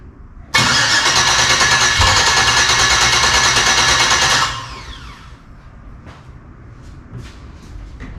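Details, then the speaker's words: LS-swapped Dodge Dakota V8, first start after sitting a year, coolant system not hooked up, IAT unplugged: starter whirs about four seconds, engine catches briefly then dies; won't keep running. "H sounds like it's only running off One Bank"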